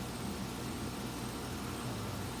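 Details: Condenser: steady, even hum with a low motor drone and no rattles or squeals; running normally.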